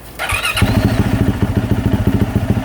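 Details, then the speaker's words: 2024 Yamaha YZ450F single-cylinder started with the system filled with distilled water for a flush after overheating melted the water spout. Starter whirr, engine catches and settles into a steady, even idle, no knocks or misses; healthy. "let her run for a little bit let all that stuff circulate around and collect all the fluoride out of there"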